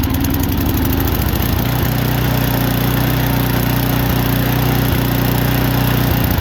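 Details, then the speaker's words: Single-cylinder snowblower with no air filter and a rough idle after sitting all summer, fixed without removing the carburetor by spraying a can into the carb intake while running: rough and hunting at first, then a steady, even putter. The idle is much improved. "all right that idle sounds a lot better it could be a tick better but it's definitely an improvement"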